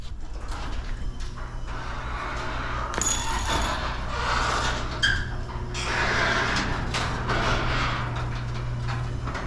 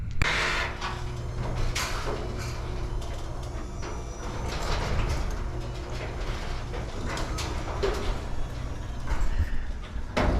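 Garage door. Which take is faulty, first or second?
second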